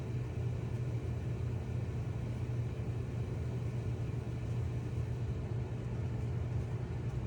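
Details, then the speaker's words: Whirlpool/Maytag dryer after new belt and drum rollers installed, previously squealing/grinding; low even hum at steady pitch, stronger and smooth, no scraping or grinding; drum turns smoothly on good rollers. "All right, a lot stronger and nice and smooth. No more noise."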